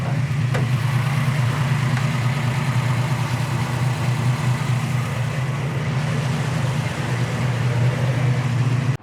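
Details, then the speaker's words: 1955 Chevy with built 400ci small-block V8 (2003 build, about 8,000 miles since), Holley 650 carb, 3-speed auto: deep, steady burbling idle with slight lope and even low pulses; healthy, clearly not stock. "as you can hear by the sound you know it ain't your stock 55 Chevy"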